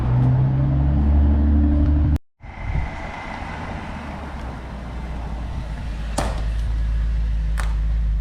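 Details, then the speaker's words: 2006 BMW 650i (E64) convertible V8 on a pre-purchase inspection, first impression: smooth, even low-rumble idle with no ticking or knocking, sounds good, a normal healthy idle. "It sounds good. That's a first good impression."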